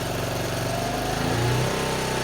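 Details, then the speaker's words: 1974 Honda C50, first start after about 4–5 months sitting, cold: fast steady putter with a slight lift in revs midway, running evenly just after starting; healthy idle. "There you go. Great, isn't she? Honestly, that's after 5 months. She's a lovely old thing."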